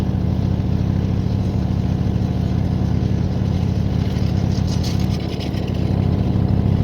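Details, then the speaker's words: 1972 GMC pickup, worn 350 small-block V8 that smokes, idling during a trial of store-bought oil ring seal additive: steady low rumbling idle, slightly uneven beat; smoke maybe slightly reduced, worn engine. "can you tell me tell me if you guys uh contain any less smoke at some point I'm gonna go do something else it does actually seem to be a little bit"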